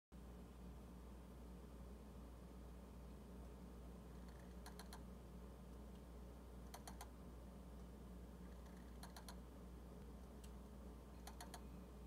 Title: JVC DLA-X790RBK - Dynamic Iris Sound (clicking) 2018-12-15